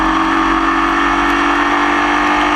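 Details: Formula Vee racing in the wet at Croft, with a misfire that lasted the whole race. A loud, steady engine note at high revs has a slightly rough, uneven edge; the stumble is hard to pick out: engine misfire.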